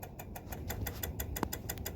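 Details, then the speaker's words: Ford Fusion Hybrid that again won't start or power up in the morning (not the alternator): rapid dry clicking at about ten a second when opening the car, with no engine or fan running; it clicks but won't power up. "another morning of the fusion not wanting to start or even power up once I tried to open the car it started clicking"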